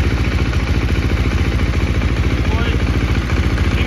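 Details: 2018 KTM XCF 350 dirt bike after replacing a cracked fuel pump filter that caused sputtering and bogging, seat off: a crisp, even single-cylinder beat holds at a fast idle with no stumbles, misses or sputter; engine runs clean.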